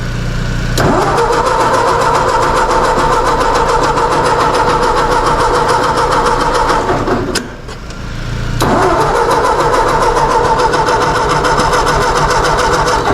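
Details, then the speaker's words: Car on a very cold day: steady starter whirring about three and a half turns a second, a pause, more cranking, never catches; owner suspects it is flooded, not confirmed. "Sounds like she might be flooded."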